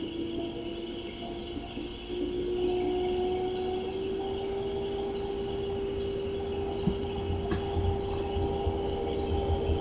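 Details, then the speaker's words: GE Profile refrigerator PFS22MISBWW, bought 2007, not cooling: after plugging in, only a thin steady hum rising slightly in pitch, with no deep compressor rumble despite some vibration; owner suspects compressor, overload/start relay, run capacitor or a refrigerant leak. "if I feel the compressor it does there I do feel some vibration but I don't hear that deep vibration that I would normally hear with the compressor"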